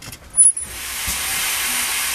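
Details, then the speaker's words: Truck air brake test, tractor shut off at maximum pressure, service line disconnected, firm hard brake application held: steady high-pitched hiss as the service line vents normally until the tractor protection valve closes, at 50 PSI (minimum 20 PSI). "The air is now leaking from the service line. It will leak until the protection valve closes."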